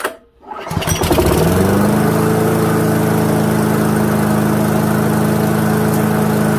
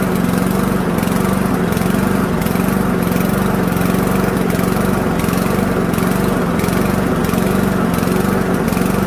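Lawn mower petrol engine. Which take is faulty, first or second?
second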